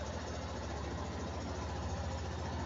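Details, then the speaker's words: 2007 Yamaha Fazer 250, high mileage, after replacing worn starter clutch and faulty cam chain tensioner that knocked like a con-rod: steady, even single-cylinder idle with no chain rattle or knocking; normal idle. "aí galera fez zona já é uma senhora já né motinha ano 2007 já tá bem rodadinho aí mas o motorzinho né filezinho cantando"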